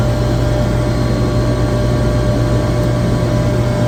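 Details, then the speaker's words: Chiller compressor running normally, checked with a vibration analyzer after a low discharge superheat alarm: steady, even low hum with no knocks, surging or grinding; well balanced, barely registering vibration, same readings at three spots. "this compressor which everyone knows the compressor should be well balanced but man it is barely barely even [Music] registering"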